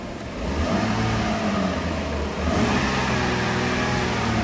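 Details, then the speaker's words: Alfa Romeo 156 2.5 V6 Busso (CF2) idling just after all six spark plugs and coil packs were replaced (old plugs, cracked coils): still a slightly uneven beat and a faint exhaust putt-putt, a mild remaining misfire, with no dash light. "No, there's still a little putt-putt from the exhaust. I can just hear it still. Yeah, still a little bit of putt-putt-putt."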